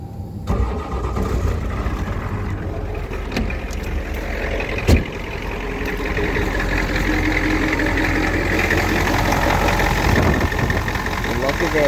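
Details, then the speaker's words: Ford 7.3 IDI diesel after new vacuum pump installed (old one gave hard brake pedal): clatters to life and settles into even steady idle, no knocks or misses, 22 inches vacuum at idle; normal. "There, 22 inches of vacuum, exactly what it's supposed to have at idle."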